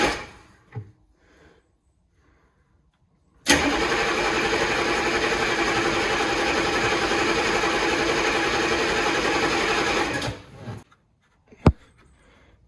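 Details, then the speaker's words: Humvee diesel after its mechanical fuel pump was replaced, but the pump pushrod was not engaged with the pump lever; nearly seven seconds of steady cranking that never fires because no fuel is delivered. "so I was cranking and cranking and cranking and no fuel ever come up"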